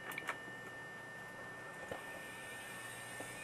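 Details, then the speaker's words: Intel DQ35JOE desktop test build: a thin steady whine over fan hiss with scattered clicks from a very noisy temporary test hard drive. "that noisy hard drive? Yeah, very noisy. It's just a test drive."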